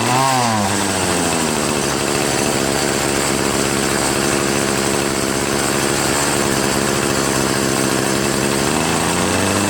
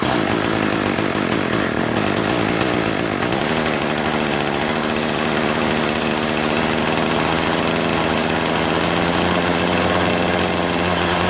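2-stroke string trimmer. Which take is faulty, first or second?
second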